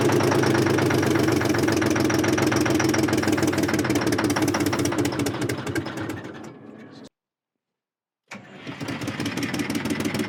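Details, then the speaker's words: Terex 80-20 diesel after sitting 30 years, cold start: uneven chugging barely holds a lumpy idle, dies away, then catches again; hard start, apparently running on only some cylinders, cause not confirmed. "Oh, wait. She might recover. What is that? It nothing. Life is nice and cold. She's idling now at least."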